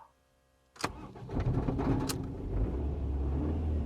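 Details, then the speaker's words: Ford Mondeo Mk3 with misfire on cylinders 1 and 4 and low compression (cylinder 4 about 25 psi): after new spark plugs and coil pack it cranks briefly, catches, then idles uneven and lumpy with a faint stumble. "there you go fired right up who needs engine compression"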